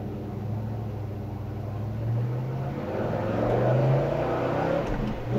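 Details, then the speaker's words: 1970 Chevrolet Chevelle with 454 V8, driven hard up through the gears after a traffic light: strong, clean pickup with pitch climbing steadily and dropping crisply at each shift; healthy, even running, normal acceleration. "nice pickup on the motor nice shifting through the gears car runs fantastic strong running car"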